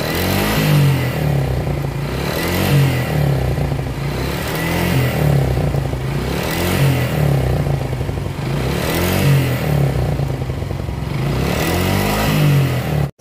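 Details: Suzuki Gixxer SF motorcycle engine noise problem: repeated throttle blips every two to three seconds with a tinny clatter that rises with revs; cause unconfirmed.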